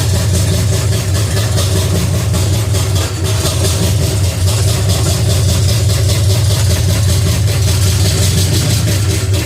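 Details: Pontiac 350 V8 in a 1950 Pontiac gasser with 6-speed, idling after the motor plugs were changed and idle screw adjusted: steady, even deep rumble, no misses or stumbles; normal idle, runs better, coil wire still rigged.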